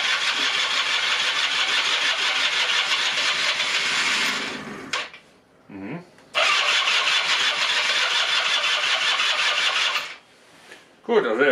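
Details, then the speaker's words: 1996 Rexy 50 two-stroke scooter, barn find, first start attempt after 13 years using starting spray: electric starter cranks in two long bursts, engine coughs and catches briefly each time but dies; no-start, only brief firing. "ein kurzen Rucker tut mehr können wir auf heute von ihm wahrscheinlich nicht verlangen zumindest jetzt im ersten Versuch"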